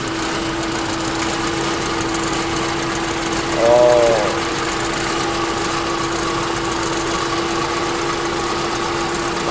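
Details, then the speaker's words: 1987 Honda Civic Wonder, clean well-maintained engine: quiet, steady idle with even hum and no knocks, misses or rattles; engine described as very smooth and healthy. "redup cepet oke daun menjadi untuk CPU mesinnya sangat luwes"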